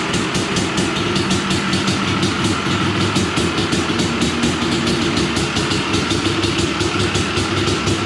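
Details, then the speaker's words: Honda TRX 250R two-stroke quad just finished after a build, with an expansion chamber fitted, idling in the garage; crisp even rapid ring-ding beat, no misfires or rattles; normal two-stroke idle. "We'll smoke it out in here, kill all the mosquitoes, and we will annoy the neighbors at the same time. Something about a two-stroke. Love it."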